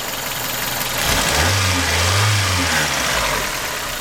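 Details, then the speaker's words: 1996 Toyota Corolla DX sedan with rebuilt 7A-FE engine, 136 miles on the new engine; idles evenly, revs smoothly and settles back with no knocks or rattles; normal running. "let's just check out this the smooth running engine"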